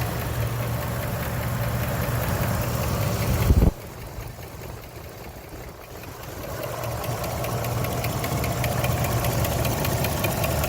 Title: 2006 Jeep Liberty 3.7l ticking noise (sticking lifter)